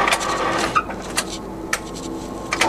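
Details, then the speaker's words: Used Colchester Student centre lathe with the coolant pump on, ticking over: a light, even gear whir with a few sharp clicks as levers shift, and no grinding or knocking. It is running normally. "Okay, I can put the coolant pump on. That's it running there, and we can start it up. So that's it ticking over."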